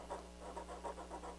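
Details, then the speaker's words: HH Scott 330R stereo receiver with its tuning knob turned: faint gritty rasps about six times a second; the tuning control is crunchy and scratchy. "sometimes you get a receiver and the knobs aren't there and that's just the down lets you down tuning knob's kind of crunchy"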